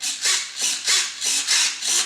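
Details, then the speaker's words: Durafly P-40N RC warbird bench test: 9g elevator and rudder servos powered through receiver, LiPo and 45A ESC. Short, even, high-pitched buzzing sweeps about every half second; both servos working normally. "No, there's not much to see, but you can hear that the elevator servo works and the rudder servo also works."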